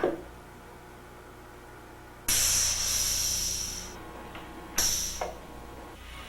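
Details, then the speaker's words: Horton fan clutch, air-actuated and cycled on and off over a quiet running engine: two sharp bursts of air hiss a few seconds apart. This is normal engage/disengage actuation with no air leak. "With the fan clutch engaged, you can check for air leaks in the clutch body by placing a wet finger on the pilot fan bleed hole."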